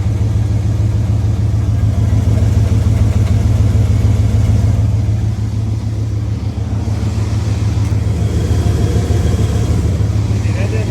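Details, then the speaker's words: 1994 Dodge Ram 1500 first running after no-start repair: steady drone with rhythmic low thump about three per second rising with rpm; went away in second gear, sounds behind engine, possibly transmission; vacuum leak also suspected. "sound like engine knocking. That sounds like something. >> Yeah, it goes up the RPM."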